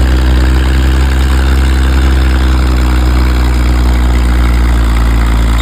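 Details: Old Caterpillar D6 diesel dozer warming up, with a deep, steady, even idle rumble and no knocks or misses. It smokes a bit but sounds good; normal diesel idle.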